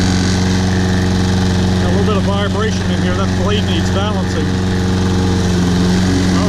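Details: Toro Personal Pace Recycler with a Briggs & Stratton 190cc engine, after carburetor cleaning, tank flush and a new air filter: steady, even idle with a low constant pulse and no misses or surging, now running great.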